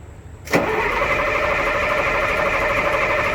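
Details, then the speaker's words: 1969 Jeep Kaiser M35A2C deuce-and-a-half multifuel diesel after fuel leak fixes: catches abruptly on cold start with a little ether, settling into a steady rough clatter; still hesitant but much better than before. "so i still have to have a little ether help but nothing like it was"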